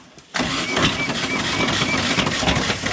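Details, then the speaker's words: VW engine in a dune buggy run without oil, being cranked: harsh irregular metallic clattering and banging, no firing; engine blown, pistons probably loose, crank suspected broken. "Motor's blown. You hear that? Yeah, that's probably pistons whopping around in there."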